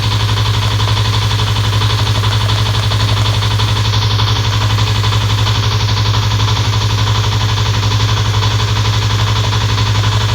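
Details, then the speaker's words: Fuel-injected motorcycle at idle with a worn cam chain not yet repaired, injector also weakening: fast, fairly even clatter about three per second over the engine note, a slack cam chain. "kalau suaranya ada keletek-kletek. Itu suara dari Keteng ya, Guys."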